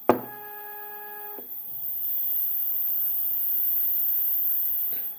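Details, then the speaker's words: Second Z-axis stepper running alone on a Duet board, stock settings of feed rate 1000, 2 A, acceleration 120: a short beep, then a clean steady hum with no grinding or stutter. Sounds normal. "this sound is pretty normal let's increase the feed rate to 2000"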